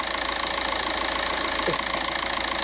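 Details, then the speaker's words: 2006 VW Jetta TDI, 1.9L BRM diesel, heard from underneath at idle. Fast, even metallic clatter over the diesel tick; dual mass flywheel rattle, found during diagnosis of a low-boost P0299 fault. "let's get underneath the car here real quick that's dual mass flywheel rattle"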